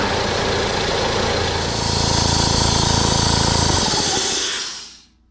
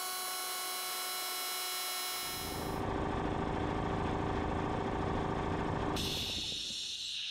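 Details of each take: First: 21-year-old Ingersoll Rand compressor that stalls around 70 psi: loud pounding with a strong airy hiss blowing back out of the intake filter from leaking inlet finger valves, before valve kit replacement. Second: Ingersoll Rand air compressor, bought 2000, after replacing inlet finger valves, gaskets, air filter and pressure switch to fix not building past 70-80 psi: steady even pumping about 3.5 strokes/second, quieter, no air-leak hiss; healthy.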